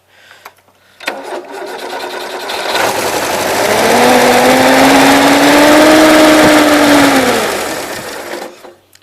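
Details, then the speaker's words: 1977 Gravely GMT 900 driving forward in second gear, blue range. The engine drone swells and holds steady under drive with no grinding, whine or clunks: transmission seems fine, though the carburetor still needs work. "transmission seems okay drive was work on some other stuff I guess so till tomorrow night"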